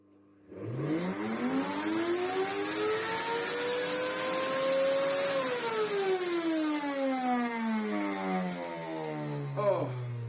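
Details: Miele U1 1400 W upright vacuum, first motor test. Motor whine climbs for about five seconds, then winds down with a rough airy edge; the motor fan and filter are choked with fluff.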